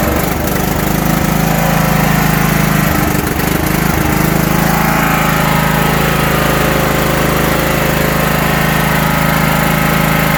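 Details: 1980s John Deere 180 lawn tractor: single-cylinder engine at steady even putter, no misses or knocks; has spark and fuel, healthy.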